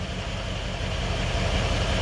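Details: Ford 6.0 Powerstroke diesel with air still in the high-pressure oil system: steady, even idle with a smooth low rumble and no misses or knocks; engine running well, normal idle.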